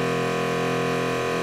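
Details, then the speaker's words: Jabsco diaphragm water pump on catamaran, mounted with accumulator on one board fixed directly to the fiberglass hull: loud steady droning buzz with rapid pulse reverberating through the hull, before noise-reduction soundproofing. "that board is mounted directly onto the fiberglass and of course when the pump goes being a loud diaphragm pump it's going to shatter and reverberate"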